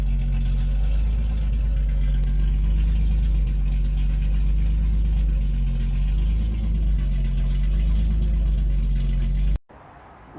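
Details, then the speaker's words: 1976 Datsun 280Z, first start in years after sitting four to five years from a failed fuel pump and fuel system work: loud, deep open-pipe rumble, steady firing, revved then shut off; started right up, runs normally (won't restart hot, owner suspects distributor). "it definitely runs better than I thought it would it started right up"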